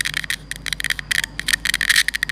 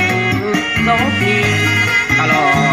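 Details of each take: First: Bluetooth speaker with constant noise: irregular bursts of sharp crackling over a thin steady hiss. A deteriorated amplifier IC is suspected. Amplifier hiss and crackle. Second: Bluetooth speaker after repair of constant crackling noise caused by the faulty amplifier IC: country-style music with guitar and vocals plays cleanly, with no crackle or hiss.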